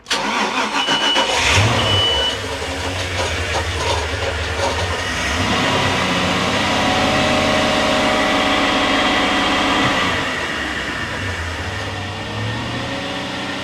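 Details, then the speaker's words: 2001 Sea Ray 340 Sundancer boat engine, about 100 hours, started after an oil change: it fires, runs up and holds a steady higher speed without sagging back, then eases down smoothly. Earlier, in neutral, it would hit 2,000 rpm and roll back. "So it's working fine now."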